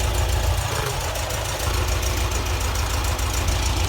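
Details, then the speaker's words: VW Type 4 engine after ignition swap to original Bosch 009 distributor and Bosch components, idle jets changed from 55 to 50, warmed through heat cycles, smoke cleared; steady throbbing air-cooled idle with even low pulse, brief rev dip; runs much better, normal running. "runs much better now turn a fan on anyway it's been letting it run through some heat cycles and uh once it goes into 914 the exhaust system's much nicer"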